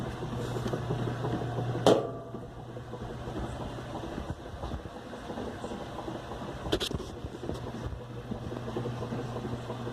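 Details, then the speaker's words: Whirlpool direct-drive washer 7MLSQ8545PT0 after repair: new motor and capacitor, red and orange wires spliced to stop motor hum; low steady motor hum with light load clunks, agitating normally in the wash cycle. "quité el zumbido el ruido del motor también motor cambié el capacitor y arregló el cable rojo y naranja para que para que quite el zumbido de ruido y ya jala muy bien funcional ya lava y exprime"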